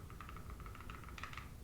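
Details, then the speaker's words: Arrma 3S 4x4 BLX (Granite) during maintenance, spur gear turned by hand after setting the mesh with a tiny bit of play: light, even ticking with no binding or grinding; mesh correct, slightly on the tight side. "you should be able to hear it clicking spinning around a bunch of rotations and uh yeah that looks perfect"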